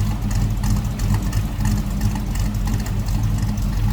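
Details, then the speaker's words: 1941 Chevrolet Coupe street rod, V8, after cold start and coming off high idle: deep loping rumble firing evenly through mild exhaust, no misses or knocks; normal idle. "So nothing over the top for exhaust, but just a nice little rumble coming out of that"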